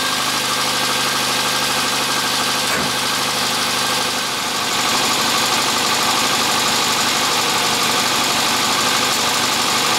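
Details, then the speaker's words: Austin Metro (red) just started after fitting new alternator, battery and drive belt to cure no-charge fault: steady even idle, constant busy hum, no charging-system noise; 14.63 volts, no charge light — normal idle, charging fixed. "14.63 volts that's a lot higher than it was before which means i'm gonna guess it's worked no charge light sounds good"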